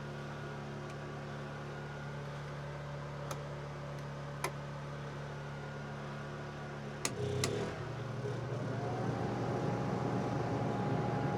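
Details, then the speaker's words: Honda EU2000i generator after carburetor cleaning, powering Airstream air conditioner with Micro-Air EasyStart; steady hum continues as AC kicks on, no faltering (previously voltage went crazy); running perfectly under load. "So yeah, it's running perfectly. The Easy Start got it."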